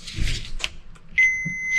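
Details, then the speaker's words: Starter motor (2.7 kW, from 2005 Toyota Prado 2.7 L petrol) on the bench, multimeter on continuity checking armature against commutator; clean, steady half-second beep from probe to ground: multimeter continuity beep. "compró continuidad y con la otra extremo del multímetro voy verificando entre las de ignacio simplemente las pasas así rápidamente verificando que ninguna de esas del gas que genere continuidad contra la armadura"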